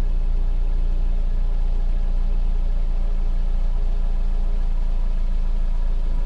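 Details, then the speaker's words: 2009 Subaru Outback after new stainless steel cat-back exhaust: petrol engine idling with steady low soft rumble, no rattles or leaks, much quieter than before. "She's definitely whisper quiet compared to how it has been for the last few years."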